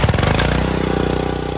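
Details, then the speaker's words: Excell XR2625 pressure washer small single-cylinder engine after replacing the cracked pump: smooth, even, fast putter with no knocks or misses; normal running. "and that is how you fix a pressure washer in about 20 minutes so a brand new pump looks a little different who cares because it works like a champ"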